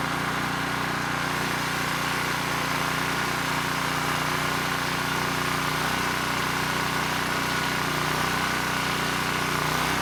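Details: ETQ 2700 W brushless-powerhead generator after governor calibration: steady unchanging drone, no surging or hunting; started slow, governor spring screw driven halfway in to reach 62 Hz, holding constant governed speed normally.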